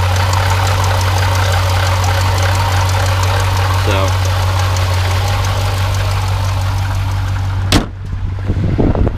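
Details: Jeep Grand Cherokee SRT 6.4L 392 HEMI V8 with 39,000 miles at idle: a faint, loose ticking rattle from the failing water pump, its pulley wobbling back and forth. Coolant is spraying and the reservoir is at minimum.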